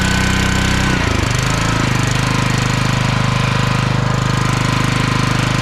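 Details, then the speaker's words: Small single-cylinder log splitter engine unused about 2 years, old fuel: fast hammering beat near three per second with unevenness, governor jumping back and forth; surging, dirty carburetor suspected. "I don't know if you could hear me while it was running there the governor it's jumping back and forth It's not acting right"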